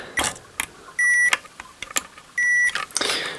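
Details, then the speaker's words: Multimeter on paralleled resistors on the main power supply of an LG 60PC45 plasma, about 7 ohms: two short high beeps among probe clicks, normal continuity, used as comparison for an open resistor on the sub power supply. "as you hear the meter beeps"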